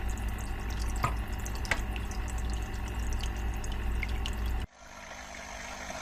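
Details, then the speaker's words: Aqua One Horizon 182 starter kit hang-on-back filter: constant trickle and splash of falling water over a low, steady drone when the lid is placed on top, heard in the living area above five other tanks; filter lid drone. "is the noise when the lid is placed on top of it it creates a drone which we can hear in our living area"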